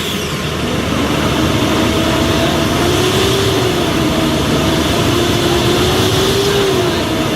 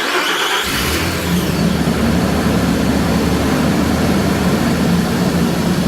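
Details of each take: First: 2008 Nissan Pathfinder R51, about 215K miles, cold morning start: heavy steady whooshing roar with a slowly wavering hum like a vacuum cleaner or hovercraft; cheap aftermarket fan clutch stuck constantly engaged, to be replaced with OEM part. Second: 2008 Nissan Pathfinder R51 at 215K miles, first start after replacing fan clutch with OEM Nissan part and new belt: engine settles into steady idle, fan's brief whirr at start calms quickly instead of hovercraft roar; normal engagement.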